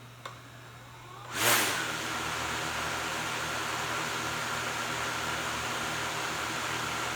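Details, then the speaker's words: DJI Mavic Air 2 with stock propellers: motors spin up with a burst then settle into a steady, even high whir; drone stays still, no vibration, props balanced. "So yeah, the stock ones don't even move either. So it seems like the blue ones are balanced."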